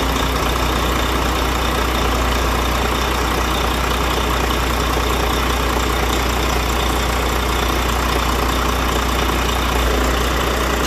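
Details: Diesel truck after bleeding air from the fuel system to cure hard starting: a steady, even, low idle rumble with no misses or stumbles. It now runs normally.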